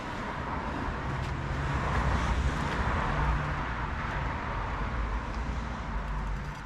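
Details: Rebuilt classic Mini 1380 engine on engine jig, first start, about 70 psi oil pressure when cranking, exhaust loosely fitted: steady even low beat with no knocks or rattles; runs smoothly.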